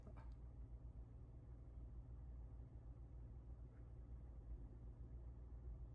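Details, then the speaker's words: Chevrolet Trax Crossover idling in D after warranty replacement of the driver-side transmission mount. The quiet, smooth, even rumble has no drone or knock, and measured noise fell to about 34–35 dB from 37–38 dB before. "엔진 소음도 줄어들었습니다. 수치상으로도 나오니까."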